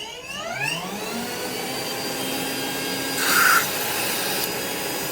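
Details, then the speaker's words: Rainbow E2 Gold two-speed vacuum after rebuild (motor parts washed, lower motor bearing repacked, new HEPA filter, belt, brush roll), water in basin: smooth steady high whine with even air rush, no grinding or rattle; runs healthy. "wash all the motor parts and repack the lower bearing on the motor so now it's running just like it should it runs perfect"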